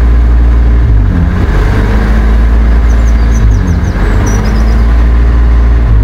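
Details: BMW E34 520i idling high, pitch rising and falling every couple of seconds instead of settling: a hunting idle. Owner suspected a vacuum leak; the intake air temperature sensor was found reading -36°C.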